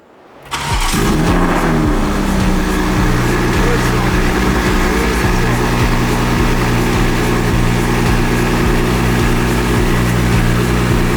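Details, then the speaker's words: BMW M340i xDrive, first start after fitting a Precision 72/75 turbo kit with dump valve, oil service and cranking to build oil pressure: engine fires instantly after a brief crank, then holds a steady, even, healthy idle with no ticking, puffing or exhaust leaks. "The car sounds good. It's obviously idling healthy, as you heard, first start, bang."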